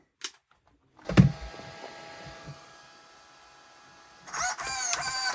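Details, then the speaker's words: Stock servo on a Traxxas Maxx Slash 6S (1/10 scale) steering sluggishly, a buzzing electric whine growing louder and harsher as it strains under load; underpowered, to be replaced with an 80 kg servo. "guys, just look how sluggish that servo is. And look, the poor thing, you hear how much strain it's under."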